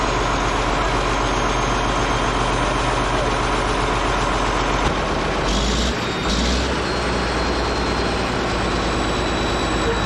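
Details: Caterpillar D8H bulldozer (46A serial, year unknown, No. 28 cable control unit) running after sitting 15+ years, once fuel reached it: deep, steady diesel idle with an even low thrum, no knocks or misses, running good. Normal idle.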